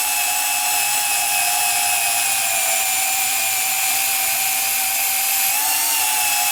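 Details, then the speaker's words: Rebuilt Milwaukee 2429-20 M12 sub-compact band saw with new housing cutting 1/4-inch steel plate, near its capacity: steady motor whine with gritty cutting hiss sagging slightly as the blade bites; small motor laboring but running normally. "Like I said, 1/4 inch thick steel, and this is probably a good, this is just about the capacity of this saw on 1/4 inch thick plate, so you could hear the motor laboring, and I'm not really surprised by that, because it's not a huge motor on this thing."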